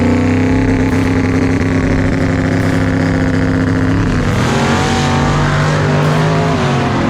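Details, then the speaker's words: Drag race car pulling hard down the strip when the engine note abruptly turns uneven; it runs rough under load and the driver lets off to avoid blowing the engine. Cause unclear. "uh oh something's wrong with the car she doesn't sound right and i can see brandon through the windshield he is not happy"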